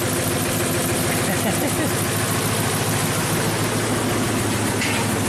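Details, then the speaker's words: 2008 Ford F-250 5.4L V8, 219,000 miles, engine swapped last year, hard cold start and stalling. Rough, uneven idle with a recurring stumble from a cylinder 8 misfire probably caused by a loose, taped-up coil connector, later secured with a zip tie. "that's probably why so now we're missing you should see that on the scanner number eight cylinders misfire"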